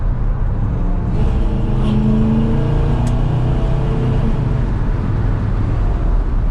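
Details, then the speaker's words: 1966 Plymouth Sport Fury, 383 V8, automatic, dual Flowmaster exhaust: a deep, even rumble climbs in pitch under full-throttle acceleration after the automatic kicks down; strong, smooth power, normal. "Gets up and goes too. It's got some power. Smooth power. Here's your kick down."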